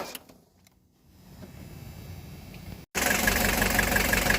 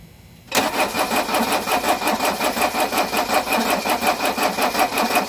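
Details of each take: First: 1983 Mercedes-Benz 240D diesel that sat 5 years, cold weather, glow plug module not working and glow plugs jumped directly from a jump box: near silence, then it catches into an even diesel clatter at about three beats a second, settling to a steady idle. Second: 1983 Mercedes-Benz 240D diesel revived after sitting five years, cold day, old battery helped by jump box: starter churns evenly about three compressions a second for eight seconds, never firing; glow plug module not working, glow plugs not heating.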